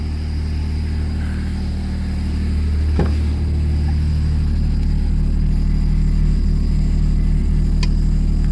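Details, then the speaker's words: BMW 535xi E60/E61 first start after installing a Walbro-style stage 3 low-pressure fuel pump with pressure regulator, fuel system primed; smooth, even idle with steady low hum, no misses, knocks or whine, no leaks; sounds healthy. "Let's see if it starts. Well, that's good. It sounds good."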